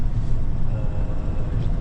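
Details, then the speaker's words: Nissan Navara D40 off-road build, driving after front-left hub/wheel bearing replacement (old one had play): only low even road rumble at speed, no hum or growl; noise gone, confirming the front-left bearing. "Allez, bah écoutez, c'est cool, il y a plus un bruit. Donc euh c'était bien le roulement avant gauche."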